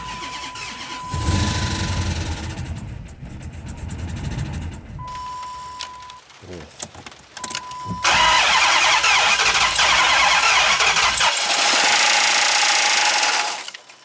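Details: 2005 Dodge Magnum RT Hemi, long dormant, first start after fitting a fuel pump and sending unit from a parts car: chime through cranking tries, then it catches and roars at high idle, running rough from a broken piston and bent valve.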